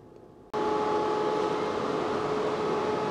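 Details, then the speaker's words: Tesla Model 3 LFP in service-mode battery health test, discharging: a steady rush of cooling fans running hard with the heat pump humming, and possible rear motor buzz. All normal. "you can hear those fans going crazy you can hear the heat pump going"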